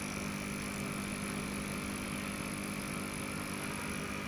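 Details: Sunsun CT-202 aquarium air pump running, with air bubbling through an airstone: a steady even hum, faint fast buzz and bubbling hiss, no rattles or knocks. It measures about 6–7 dB above room noise; normal operation.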